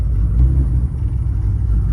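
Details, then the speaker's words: R32 GTR with 290 Kelford cams, switched from E85 to pump 100 and needing a retune: deep low idle rumble, choppy and uneven rather than smooth, especially on lower idle and lower gear. Rough idle. "It's not as smooth as it should be, especially on lower idle and the lower gear. You can kind of see it's very choppy and then it smooths out."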